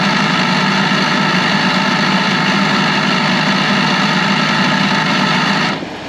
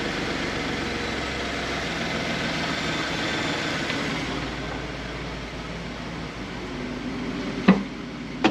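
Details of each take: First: 2012 Ford F150, before repair: harsh steady buzzing drone over the idle from the electric vacuum pump behind the driver's side wheel well; faulty pump to be replaced. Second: 2012 Ford F150 after vacuum pump replacement, heard near the pump behind driver's side wheel well: even idle hum with no ticking or buzzing, a couple of handling thumps; normal.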